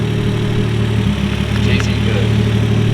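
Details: Car engine at steady, even low idle with a smooth hum, no misses or hunting, after correcting a backwards-installed MAF sensor; fuel pump still hardwired, cooling system not yet plumbed; runs and sounds great.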